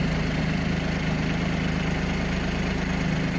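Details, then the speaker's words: Kubota Aste A-13 diesel mini tractor with 756 engine hours, started with glow plugs: steady idle with even low hum, no knocks or squeals while the hydraulic tiller tilt cycles to both sides; tilt works normally. "В другую сторону наклон наклон работает."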